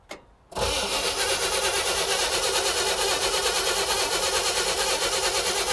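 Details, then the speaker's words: 1960 Chevrolet El Camino, not run since 1998: cranks at about three beats a second for five seconds with no firing during a spark check at the plug wire; no spark, so it won't start. Cause unknown (ignition power, coil or points suspected). "No sparky. No spark. All right, now the question is why? Is the ignition circuit not powered? Is the coil junk?"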